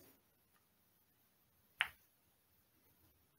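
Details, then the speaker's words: Bench test of a transmission shift solenoid from a 2010 Toyota Tacoma 5.7 L, on a charged 12 V battery with a 21 W bulb: sharp click as the negative wire is removed, stronger than on connecting; solenoid passes the test and is good. "so do you hear that big click once I took off the wire from the negative it also clicks when I connect it but not as strong as when I disconnect it"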